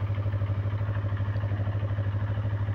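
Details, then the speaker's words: Used Yamaha YZF-R25 250cc motorcycle idling, listened to at the engine while checking before purchase: deep, even thrum of about three pulses a second with no tek-tek tapping; engine in good health. "bagian situ nggak ada bunyi tek tek tek tek tek gitu betimus mesin motornya masih bagus ya teman-teman"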